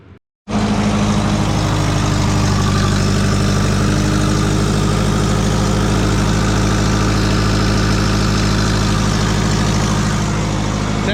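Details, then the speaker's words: Twin-turbo Subaru with low-mount turbo setup, first start after a long sit, idles with a rapid ticking puff over low rumble; exhaust leak, condensation seen leaking. "we have an exhaust leak oh yeah we've got an exhaust leak"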